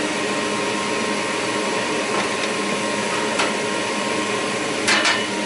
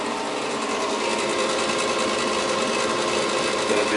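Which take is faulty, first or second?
second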